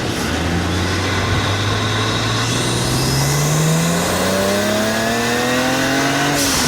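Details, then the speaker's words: BMW 335i N54 turbo after boost leak fix, new alternator, water pump, gaskets, walnut-blasted intake valves and catch can; clean whistle rising with revs around 2,500 rpm, sharp whoosh on lift-off; normal turbo spool and blow-off. "Oh wow, even just 2,500 RPM. I could hear the intakes in the blow-off valve."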